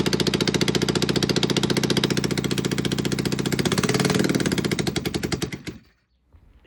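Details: Barn-find Kawasaki Z400 twin, late 1970s or early 1980s, not run for decades, wiring bypassed with a direct battery connection, fuel, oil and spark on both plugs: fires with a quick, even beat for about five seconds, then dies away. Runs cleanly.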